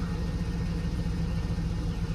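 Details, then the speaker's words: AWD Cadillac Escalade V8 first start after reinstalling the 4L60 transmission: steady, deep, even idle burble with no knocks or misses, a slight exhaust leak underneath, but healthy; some smoke afterwards, thought to be residue burning off the exhaust. "Okay. Sounds like a little exhaust leak down there. But that sounds healthy."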